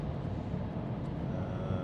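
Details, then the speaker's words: 2010 BMW F07 535d GT, 363,000 km, test drive on asphalt with studded tires in damp weather: steady low road hum from the studded tires at cruising speed, no clunks, knocks or whines; apart from tire noise the running gear sounds fine. "Natukene sätin siin seda puhumist, kuna niiske ilm on täna, siis tahaks toimib peale rehvi müra siin nagu suurt midagi ei ole."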